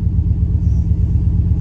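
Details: 1988 Chevrolet C1500 Scottsdale after new water pump; low even throbbing idle with no misses or knocks, running cleanly.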